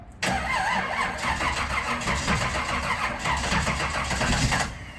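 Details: 1969 Camaro ex-show car, not run for years: engine churns and stumbles unevenly for several seconds on a long crank before dying, float bowl being filled.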